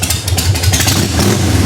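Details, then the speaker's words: 1990 Harley-Davidson 883 EVO Sportster after reinstalling intake manifold and Keihin CV carburetor and fitting Ultima single-fire ignition: short clean rev with lumpy exhaust beat, the earlier suction-type whistle gone; healthy revving. "sounds like it's ready to go cause trouble. Sounds like it really likes that Ultima."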